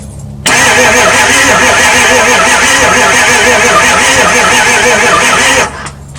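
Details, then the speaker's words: 2002 Ford F250 7.3 Powerstroke diesel, sitting for 2 years, cranked with starting fluid sprayed in: the starter churns sluggishly for about five seconds without firing, then quits; very tired battery. "The battery is very very very tired. Um I feel like I feel like it's not going to start with me just spraying this in there uh like that."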